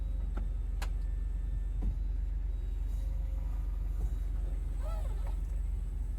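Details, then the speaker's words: Audi 80 Cabriolet, 130k miles: convertible-top hydraulic pump after refilling fluid. Steady low hum with a fast even pulse, about three per second, no whine or strain; sounds much better than before. Pump running healthy. "all right let's see well it sounds a lot better already"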